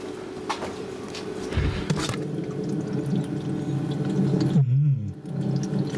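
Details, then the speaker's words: Evakool 12-volt fridge compressor being recharged with refrigerant after vacuum; low steady hum with an irregular watery gurgle, sounds full of water. Moisture and a compromised system are suspected, not confirmed. "setup is for the water that doesn't sound good does it doesn't sound good at all sounds full of water yep that sounds full of water yeah that's not a good sign"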